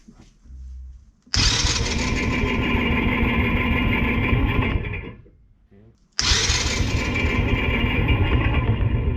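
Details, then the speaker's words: Tao Tao 110cc ATV quad, cold start on jumper pack after fitting new carburetor and intake (had hard starting, water in it), choke up: catches, rough uneven fast idle, cuts out, restarts and runs; sounds better than old carb; normal cold start. "Sounds a lot better than the old carb that I had in there. Obviously better intake, it's breathing better."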